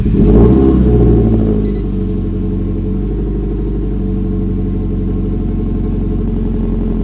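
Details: Saab 9-5 Aero RWD conversion, first start of freshly built engine with new external oil thermostat: catches with a quick rev, then steady, even idle with no knocks or misses; started at six bar oil pressure, clean first start.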